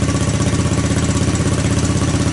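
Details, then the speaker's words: 1984 Honda ATC200S single-cylinder engine on a cold start, recoil starter repaired; steady, even thump at a fast cold idle, no knocks or misses, no smoke; normal cold idle. "Boy, she sounds good. I got no smoke. I mean, nothing. Yeah, this was, obviously it's a cold start."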